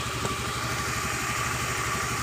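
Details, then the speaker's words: 2013 Honda Beat FI scooter that only clicked on electric start (battery and starter motor normal), running after workaround for weak ECU/CDI starter output; steady even idle, smooth low thrum, no misses or knocks; normal idle. "jadi seperti itu motor hidup sudah dengan normal ketika kita mengekali di bagian dari cdi-nya yang lemah"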